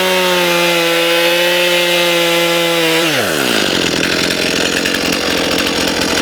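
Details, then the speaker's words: Stihl MS291 chainsaw after carburetor adjustment for lean running, poor idle and stalling (screws about 1.5 turns out): clean high revs dropping smoothly as the chain cuts wood; idles on its own, responsive, running normally. "Sounds pretty good to me now. Let's do a quick start here. Idles on its own. Very responsive."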